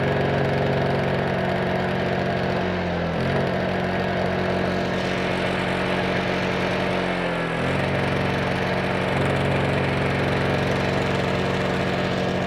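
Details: Honda EU2000i generator that previously wouldn't start, refuelled and started with choke on and fuel tank vent open; steady even hum with a brief dip and recovery, then a smooth, stable run, healthy.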